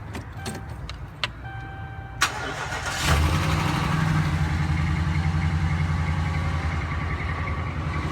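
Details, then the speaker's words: Dodge Ram pickup cold start heard through the wheel: a hard knock right at startup, then a rough rattling idle; worse the colder it is, Chrysler says the noise is normal. "Hear the real bad knock right at the beginning. And you hear that rattle. The colder it is, the worse it gets."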